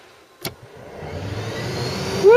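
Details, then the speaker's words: Ford Cortina Mk3 restoration, heater fan on boost setting: a click, then a whir climbing quickly to a strong, steady tone, "like a turbo"; blower spins up cleanly and powerfully. "Sounds like a turbo. That is powerful."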